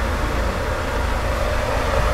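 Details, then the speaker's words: Jetmatic water pump with its motor newly replaced after the old one suddenly smoked, tested running with the drain opened and the gauge moving; the motor runs smoothly and quietly as an even low hum with a soft rush, no rattle or grinding. Normal running. "yung ingay ng makina, smooth lang, tahimik lang siya."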